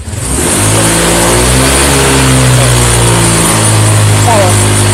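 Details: Honda Vario 125 FI (LED) revved at wide throttle: it revs, then holds a rough, uneven, ragged 'brebet' note and loses power. Fuel pump pressure is normal and a faulty TPS sensor is suspected, not confirmed.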